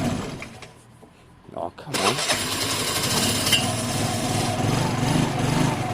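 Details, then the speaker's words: Motorcycle whose engine has a genuine 15,000 on the clock: catches after a couple of seconds, then settles into a steady, even run with no knocks or misses. It runs and rides fine, gently rather than strongly. "and it just runs and rides it just it just pods along it it really doesn't pull your arms off"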